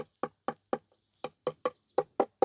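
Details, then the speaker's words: Nine quick knocks on newly laid floor tiles ring hollow and resonant. The tiles were supposedly double-buttered, but insufficient adhesive leaves voids beneath them, alongside uneven 0–9 mm joints and misaligned tiles. "ça sonne creux déjà."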